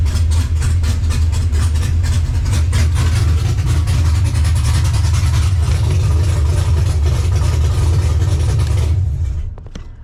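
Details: Cammed LS V8 swap in a Monte Carlo on ACES Jackpot LS fuel injection, first start-up while the system is learning; deep, loping, choppy idle with strong low rumble, smooth and even; normal cammed idle.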